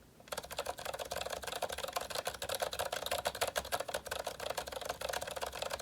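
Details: GK61 keyboard, Zilent V2 62g switches lubricated with thick lube, 1.5mm thick OEM PBT keycaps, no O-rings: soft muted presses about three a second, dull thocks with no spring ping; lubed switches sound smooth and quiet.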